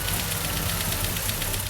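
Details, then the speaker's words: Toyota Hilux wrecker engine, untested and not run in nearly a decade, first start: sharp light clatter ticking quickly over idle, top-end lifters loud until oil pressure reaches the head, then sounds good. "And hear how it was super clacky at first. Just need to get the oil up there."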